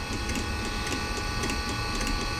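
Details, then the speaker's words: Eberspacher D3L diesel air heater, about 40 years old, reportedly from a Volkswagen Transporter, on bench: fan starting, glow plug relay pulsing (glow plug disconnected), fuel pump ticking about three times a second; normal start-up sequence. "okay so now the fan is starting we can hear now the glow plug relay working as this sends some impulses to the glow plug"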